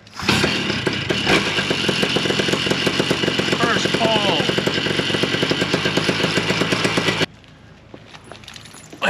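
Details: Vittorazi Moster 185 paramotor after its 100-hour maintenance, with the engine remounted and belts tensioned by pitch using a tuner; it catches at once and holds a fast, crisp buzzing run for several seconds before shutting off; normal running.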